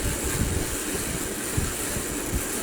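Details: Dingy old ceiling fan before cleanup, whose light switch no longer works and only one light works: rough, continuous grinding rumble with uneven low thumps and steady hiss that stops and restarts; ceiling fan grinding noise.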